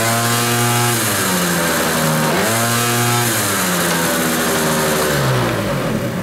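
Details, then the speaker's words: Cold Kymco Vitality scooter revved against the brake after soft clutch springs on the centrifugal clutch were replaced; engine revs cleanly, dips and recovers with an even drone, now pulling at start where it previously lost revs; normal revving under load. "jeszcze jest zimny co prawda ale widzicie już są obroty przy starcie"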